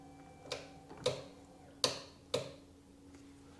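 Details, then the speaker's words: 2005 Sea-Doo 3D with a submerged, flooded 787 engine, starter disconnected, triggered from the tether: four sharp, separate clicks as the starter relay/solenoid pulls in properly each time. "that is freaking awesome it did not do anything because I didn't have the starter connected but the relay was clicking that means I can put this back on and that'll crank over"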